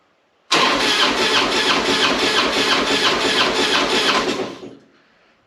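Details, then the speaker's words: Harley-Davidson Springer during compression test with oil in the zero-reading rear cylinder: starter churns evenly, no firing or compression pulses; no compression, rings ruled out, suspected bent valve or pushrod. "it's not the Rings I'm leaning more towards it's either a push rod or a uh bent valve"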